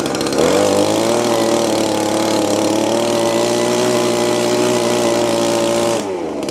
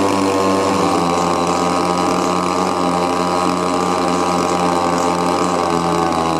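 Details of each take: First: Old Echo blower after a small hang-up on the carburetor was fixed, which had held it at high RPM: a steady high buzz holds an even pitch for about five seconds, then drops off cleanly. It runs smoothly. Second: Old Echo leaf blower with a cracked primer bulb, choke on: small two-stroke holds a fast, constant buzz with no drop to idle; adjusting the high and low mixture screws does nothing and it bogs. Later found a stuck little flapper.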